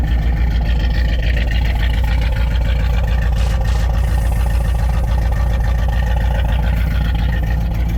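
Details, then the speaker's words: 1984 Chevrolet Camaro Z28 after belt replacement: loud, steady low idle rumble with an even beat and no belt squeal or chirp; healthy idle. "Now that it has the belt replaced, it doesn't squeak like heck when you go to crank it up."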